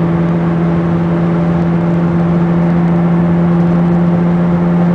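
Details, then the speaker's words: 2002 VW Beetle TDI on a test drive: a low droning hum starts near 25–30 mph and gets louder with speed at 60–70 mph in third through fifth gear. It persists when coasting in neutral. Cause was a bad passenger-side front wheel bearing, later replaced. "it starts a louder noise. "25, 30. There comes that droning like."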